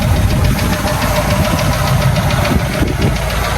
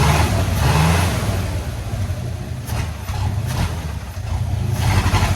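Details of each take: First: 1984 Ford F250 V8 on a straight-pipe exhaust: deep, steady low rumble with an even lope and no knocks or misses, idling smoothly and fairly quiet for straight pipe. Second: 1984 Ford F250 with a 351W V8, neglected for years, running only off the tank: deep rumble swells and sags unevenly as the throttle opens, never revving cleanly; bogging.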